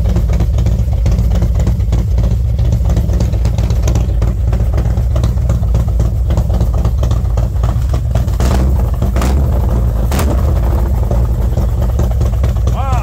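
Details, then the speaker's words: V-twin after new SS540 cam and SS valve springs, lifters adjusted to four full turns, warming up about 10 minutes at 40°F outside: steady deep idle with strong intake hiss and no audible tick, sounding healthy and mean. "it's 40 degrees outside warming up it's sounding pretty good it sounds mean you probably can't even understand it through the phone"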